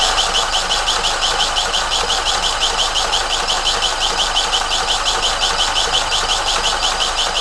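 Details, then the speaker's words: Vauxhall Vivaro 2.0 diesel van, first start after injector replacement and coding, jump-started: sharp, even ticking about three a second over a clattery idle, loud because the top-end engine breathers are missing. "happens it runs hey let me set these back that noise you can hear is the top of the things are missing the Breeders are missing on here"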